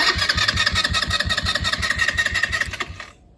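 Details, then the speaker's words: Chinese ATV, about 8-10 years old: starter tries to run as soon as battery is hooked up, no key turned; whirring, labouring at about three pulses a second, then cutting off, click heard; starter solenoid or start button suspected. "But he says as soon as he hooks up the battery, it tries to start. Which it ain't right now. Oh. I did hear something click."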